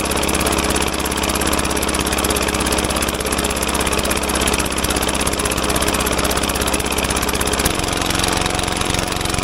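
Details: Caterpillar dozer parked since 1992, gasoline pony engine after cleaning corroded breaker points: loud steady running with busy rapid beat, no misses; pony motor firing properly now.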